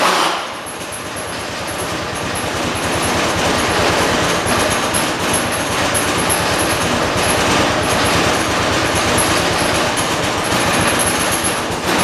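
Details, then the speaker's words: 1986 John Deere 216 lawn tractor, rebuilt single-cylinder and transmission, first cold start of day at about 50 degrees, around half throttle: rapid uneven chug with high whistle; owner suspects carburetor needs adjusting; rough running. "I think it needs the carburetor to be adjusted but I've looked around and I've been told it supposed to run like a so I just left it alone"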